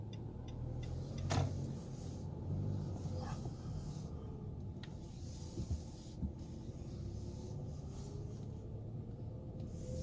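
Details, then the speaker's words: 2018 Nissan Sentra automatic that wouldn't start because of a disconnected brake light switch, after reconnecting it: quiet, even low rumble with no knocks or misses, only a few soft clunks; the engine runs smoothly and the fault is fixed. "well guys now it's working it's working properly just like what i did now i fixed my car"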